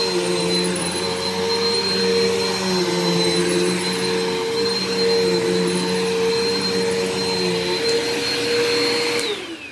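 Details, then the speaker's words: Bissell PowerForce upright vacuum after a belt replacement: steady whir with chirpy squeaks from dry wheels shifting in pitch as it's pushed; WD-40 on the wheels suggested. "now if your wheels are squeaky like mine are on this power force you're going to want to put some wd-40 on the wheels just to make sure they don't squeak like that because honestly this sounds like you have chipmunks stuck in the wheels of your vacuum"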